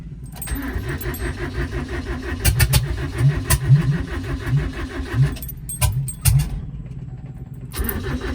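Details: Toyota 20R being reassembled, ignition on and fuel pump delivering pressure to the filter: starter cranks in an even chugging rhythm in bursts but never fires; cranks, no start. Owner suspects the electric choke wire is unhooked.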